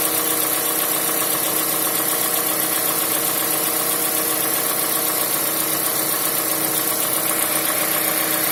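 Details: Mazda CX-5 knocking at idle: steady light, fairly regular tapping about four per second over the engine hum; cause unknown.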